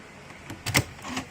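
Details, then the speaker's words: Porsche Cayenne after current-draw test (40 mA asleep) and battery reconnected: brief electric whir with a sharp click as the key goes in; steering lock motor working normally before starting. "Everything's working. Now I can start it."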